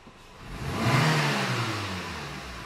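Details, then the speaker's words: Renault Clio that was misfiring at low revs, retested after diagnosis: free-rev from idle climbs cleanly and eases back down with no stumble, cut-out or miss; normal acceleration. "e pisou respondeu giro sobe liso sem falhas sem corte sem engasgar e E como tem que ser tá perfeito agora"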